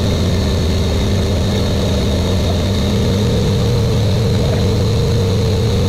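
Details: Buick Grand National with newly rebuilt engine, second 10-minute cam break-in run: smooth, even high idle with a constant deep drone, no misses or tapping; normal fast idle during cam break-in.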